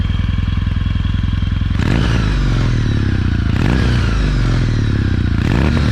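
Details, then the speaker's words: Kawasaki W800 with a full Remus exhaust system, baffles in: even, deep thumping idle with three crisp throttle blips settling straight back down. Bevel drive whine is audible; a healthy, normal engine. "You can hear the whine of the bevel drive, but these aftermarket Remus cans, actually, it's a full exhaust system."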